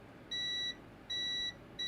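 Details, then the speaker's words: Multimeter continuity test on an original Xbox Crystal motherboard trace repair during RAM upgrade: three clean high-pitched beeps about half a second each; good connection confirmed. "So we have a good connection."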